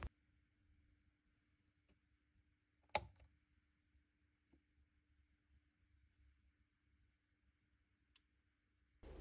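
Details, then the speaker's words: Heating zone valve after rewiring (white heating on, grey hot water off, orange to boiler), heating-only selected: one crisp micro switch click over faint hum; valve switching normally. "We're going to put heating only on and then we're going to listen out for the micro switch."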